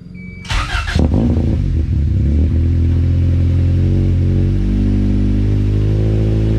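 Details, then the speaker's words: Honda CRX with all-motor B17 engine and full exhaust, cold start; loud, steady raised idle that holds high too long instead of dropping back. Warm-up idle set too high; owner plans to lower it and reduce timing. "so so i gotta turn down some of the warm up idle give it a little bit less timing so it doesn't hold high for so long it doesn't always idle like that it will come down eventually but it holds too long"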